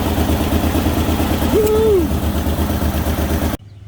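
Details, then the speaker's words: Ford Ranger XLT first running after transmission reassembly and firing-order correction: steady engine drone rising and falling with a quick rev, with a harsh raspy exhaust edge. Owner suspects an exhaust leak. "let's try again just running maybe sounds like it's got an exhaust leak though"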